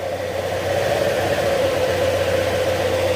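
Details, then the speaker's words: Honda Click 125 after engine overhaul, warming up: steady even idle with smooth mid-pitched hum, no knocks or rattles, settling as it warms; cricket-like noise and drunk-sounding running gone. "Pero ito, tahimik na. Hindi na siya tunog lasing."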